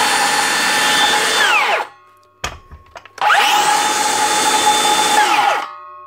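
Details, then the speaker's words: Dewalt 54V DCS577 circular saw after replacing the failed bottom 6002 motor bearing (previously grinding intermittently): clean steady high whine spinning up and coasting down twice, no grinding or rumble; normal run. "look at that dealt we doesn't even have to replace the whole motor for it one little bearing which is up and running again"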